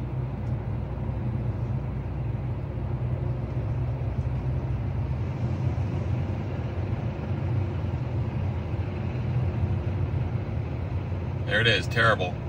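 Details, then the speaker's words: 2024 Kia Sportage Hybrid, petrol engine accelerating uphill: heavy, droning roar louder and rougher than normal, constant under throttle, fading when acceleration stops or in EV mode; owner finds it very annoying, cause not pinned down. "There it was, nice and loud, horrible. Just a terrible sound all the time."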